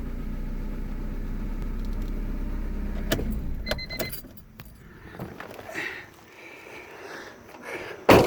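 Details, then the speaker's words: Honda car that was slow to start or just clicking, after tightening the battery post connections: fires right up and settles into a smooth even idle, no misses or knocks, then cabin handling and key noises; normal idle. "now let's see here should fire right up and there you go fires right up"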